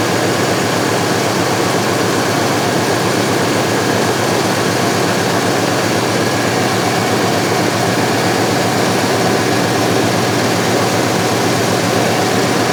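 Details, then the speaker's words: 1970 C10 with 1998 Vortec 7.4L (454) big-block after replacing old spark plugs that caused rough running: dense, steady V8 roar, even tone, no stumbling or popping; now running smoothly. "thank you well just backing it out it's already running a lot better so"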